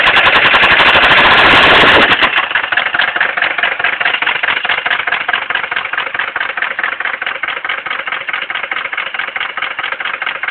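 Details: 1979 Mercedes 300D diesel at idle: loud, rapid metallic rod knock hammering steadily, recorded just before it threw a rod through the block.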